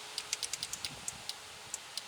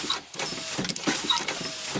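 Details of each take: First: 2005 Chevy Tahoe door power window: relay clicks on and off with no motor hum when switch pressed; motor gets no power due to a bad connection at the motor, not a bad motor. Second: 2005 Chevy Tahoe door power window after repair of a bad motor connection: brisk whirring motor with light clicks and glass rubbing, travelling evenly without stalling; window motor works properly.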